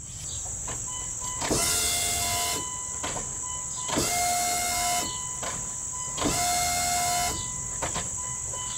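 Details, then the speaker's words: Dodge Ram 2500 V10 no-start (cranks, no spark), key on at fuel tank with half a tank: short buzzing whine each time, steady then stopping; fuel pump priming normally. "and you can hear that so we know the fuel pump's working and it has a half a tank of gas in it right now"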